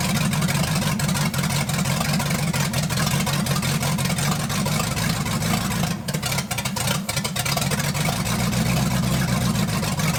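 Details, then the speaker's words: 1980 Dodge short-bed truck with big-block V8, first run in 14 years, during cam break-in after points-to-electronic-ignition conversion: deep, steady, even rumble with no misses or knocks; running smoothly and healthy. "well i think everything went okay for the cam break-in process i was a little bit worried there but once we changed over to this electronic ignition thing started to kind of look up and work a little bit better"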